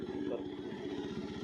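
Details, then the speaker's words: Kawasaki W250 single-cylinder motorcycle running with an aftermarket exhaust. Soft, even, muffled thumping with no misses or knocks. It is a normal, healthy single-cylinder exhaust note, kept quiet at the owner's request. "seperti ini suaranya. Tetap suaranya adalah suara khas mesin 1 silinder. Jadi suaranya emang nggak terlalu keras banget karena sang pemilik memang menginginkan motor ini tetap bersuara lembut, hanya tampilannya sedikit lebih bagus."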